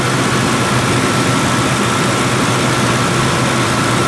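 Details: Ford 2-valve 4.6 V8 after new Dorman intake manifold replacement, cold day, warming up at idle, thermostat not yet open: steady even rumble with a faint constant whine, no knocks, misses or surges; healthy warm-up idle.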